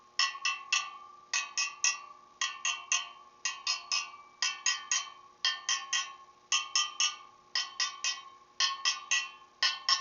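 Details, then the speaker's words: Motorcycle wheel being trued after a respoke: quick groups of bright taps on the spokes, each ringing at the same clear note. Spokes are evenly tensioned after a low-pitched loose spoke was tightened. "And those all sound the same to me."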